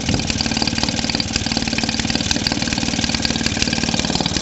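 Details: Maytag Model 72D two-stroke washing-machine engine after repair: owner suspected a partly blocked jet, sealed around the air tube and cleared the fuel tank relief vent hole. It now putters at a steady even beat with no misses, running normally.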